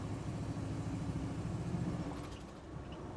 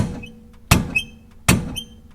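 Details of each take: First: 1973 Chevy Nova badged SS, likely 350 V8, road test over rough pavement and swerving after chasing a rear banging: steady road rumble and engine drone, no clunks from the back; passed, only exhaust needs muffler shop work. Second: 1973 Chevy Nova, rear bounce test: sharp metallic clunk with squeak about every three-quarters second; loose main stud of lower rear shock absorber mount on both sides.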